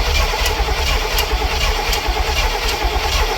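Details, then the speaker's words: Barn-find Cadillac 7-litre V8 not run in 30+ years, old plugs, points untouched: slow, heavy cranking that never catches; only a tick is heard and there is no spark at the terminal; crank, no start, no spark. "No sparkage. You had spark? Nope, no sparkage. I just hear the tick. No spark."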